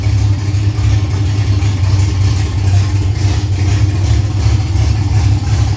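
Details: Freshly built Ford Cortina 3L V6 Leisure, first start-up, idled briefly with no coolant in: deep, fairly steady idle with lumpy low beat, no knocks or ticks; running cleanly, normal idle.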